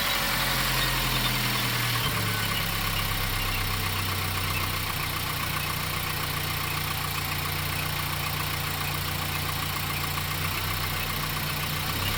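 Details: VW Golf 7 engine at idle: a quick, fairly regular tick rides over the engine hum; abnormal engine noise, source not identified.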